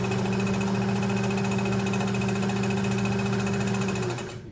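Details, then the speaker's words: Restored Kenmore 120.49 rubber-wheel-driven sewing machine, final test with the camera close to the machine: even, steady whirring hum at constant speed with no knocks or catches; sewing normally. "and she's working great being a rubber wheel driven mechanism rather than a belt or gear driven it's a little bit not noisy but you can hear that"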